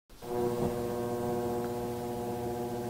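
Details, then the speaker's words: Jenn-Air JFC2089WEM11 refrigerator with a steady, low, fixed-pitch hum over the compressor that cycles in and out and varies in loudness, from a worn, failing damper control. "that hum it cycles in and out sometimes it's louder than others it's getting really annoying does your refrigerator do that if it does the damper control is wearing out"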